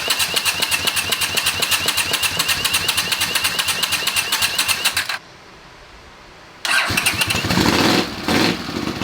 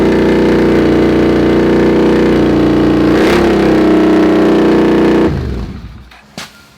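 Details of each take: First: Honda CX500 scrambler motorcycle after correcting swapped spark leads that caused wrong ignition timing: starter cranks steadily for five seconds, pauses, then the engine fires up with uneven revving. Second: Honda CX500 scrambler with a second-hand muffler fitted as a clamped slip-on: loud, deep, steady drone with even firing until shutdown; exhaust still on the loud side, a slight leak possible, DB killer considered.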